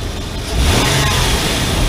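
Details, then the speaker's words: 2002 Nissan Pathfinder with check engine light, MAF sensor checked by back-probing the signal wire during snap revs: engine climbs cleanly and smoothly, no stumble; MAF voltage rises from 1.5 to almost 2 V with cleaner waveform. "up to almost two the engine sounds much more better way better"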